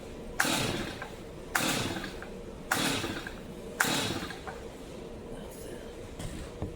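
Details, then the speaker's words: Brand-new, never-used Stihl MS 250 chainsaw at half choke after drying the cylinder and fitting a new Bosch plug: four sharp cord pulls a second apart, nothing firing; still cranks but won't start, cause unfound. "This one might have to be a tomorrow deal. Can't seem to figure this one out yet."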